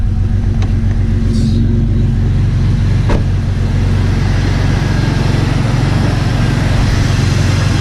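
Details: Jeep Cherokee XJ just fitted with 4-hole fuel injectors, first start after purging the fuel system, no leaks found: low, steady engine rumble at an even speed with no stumble or miss; normal running.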